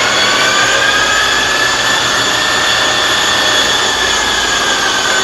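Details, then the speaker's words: Monarch Merit lathe after converting its non-working DC drive to an AC drive; power feeds engaged, cross slide and longitudinal feeds both working. Even, steady high whir of gearing and motor, no knocks or grinding; power feeds run smoothly. "overall i'm pretty happy with it i'm putting in feed here all the feeds work crosstail works longitudinal feed works it'll work pretty good"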